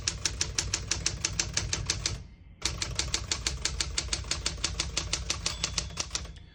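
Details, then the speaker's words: 1968 Smith-Corona Super Sterling portable typewriter, margins set about 2–3 and 70, single line spacing: crisp, even keystrokes about three per second, a pause, then the margin bell rings clearly at the end of the margin; working properly. "Once you hear the bell, you're at the end of the margin. You hit the slide space, gets you back to the beginning, and skips 1, 2, or 3."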